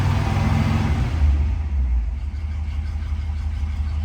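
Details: 1957 Ford Thunderbird V8, cold start after two pedal pumps, temp gauge on cold: low, even burble settling with a steady beat, no misfire or knock; a healthy cold idle.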